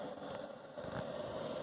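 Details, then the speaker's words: Cheap Chinese diesel heater in a van, after soot cleaning, reinstall and controller reprogramming for 9200 ft altitude: steady even fan whir, smooth combustion hum, no sputter or surging; running normally. "air coming out so not really sure what's wrong with this thing but it totally works now I'm excited"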